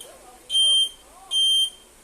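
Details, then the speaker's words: 2013 Honda Beat with new keyless remote module, buzzer following the turn signal, indicator on: two sharp high beeps about 0.8 s apart in time with the flasher; buzzer working normally. "Dan bila kita pasang lampu sennya, maka suaranya akan mengikuti suara sen ya. Oke, kita pasang dulu. Dan posisi sennya harus dihidupkan ya. Oke, suaranya udah mengikuti sen ya."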